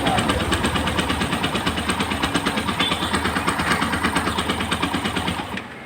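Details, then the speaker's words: Yamaha FZ-S V2 that will not start, with compression still short. Light, quick, even cranking beats run for about five seconds without firing. Low compression forces repeated use of the starter and hurts pickup. "তো friends আমি দেখে নিলাম আপনাদের মাঝেও share করলাম আমাদের বাইকটা আমরা রোকার মিলানের পরও যেই পরিমাণ ওকে হওয়ার কথা ছিল সেটা হয় নাই পরিপূর্ণ কমপ্রেসার এখনো পায় নাই যার কারণে বাইকটা অনেকবার সেলফ দিতে হচ্ছে"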